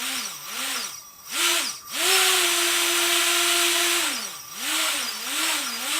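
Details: T-Motor 2206 2000KV brushless motor with DAL 6040 prop on UBAD 20A Beast Mini ESC, strapped to bench on benchtop power supply; clean whine rises and falls with throttle blips, stopping and starting quickly due to active braking enabled; healthy motor.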